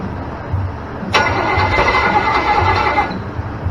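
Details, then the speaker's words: Small block Chevy 327 on run stand, stored 15 years with fogging oil, after starter and carb fixes: catches suddenly, runs steady buzzy note about two seconds then cuts out; timing right, throttle slightly high. "Got the timing's right. Actually want to back off the throttle a little bit."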